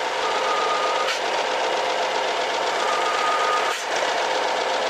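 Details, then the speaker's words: 2011 BMW F07 5GT, 3.0 gasoline turbo, 277,000 km, running: a thin steady whistle over a hissing engine, worse after a hot restart in drive. It stops when the oil cap is opened; a torn membrane in the crankcase pressure-regulating valve is suspected. "열면 안 나 오일 주위 거를 뚜껑을 열면 소리가 사라졌잖아 엔진 내부에 진공이 굉장히 많이 강하게 작동이 돼서 그러거든요"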